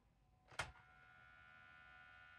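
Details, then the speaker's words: 1997 NEC Versa 6010H laptop floppy drive trying to read a disk: one sharp click, then a faint steady whir with no seeking; the motor spins but the drive won't read, and a broken or stretched belt is suspected. "and no it doesn't that sounds horrible so to me it sounds like uh sounds like the most motor's just spinning so it probably has a broken belt or stretched out belt inside of that floppy Drive"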